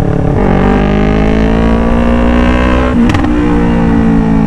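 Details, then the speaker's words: Yamaha R3 with a full-system exhaust, before a resonator is fitted; the engine pulls up in pitch, then crackles as it backfires under hard throttle at speed, with no backfire at around 60. "Pero kapag medyo mabilis yung takbo natin Tapos kapag pipigain ko na po yung gas natin nbf"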